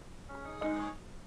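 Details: Samsung LE40B652 LCD TV that won't complete boot: a few power-on chime notes then an abrupt stop, a boot loop. Fault traced to the 100Hz T-con board 2009FA7M4C4LV0.9; with the T-con removed the set boots fully.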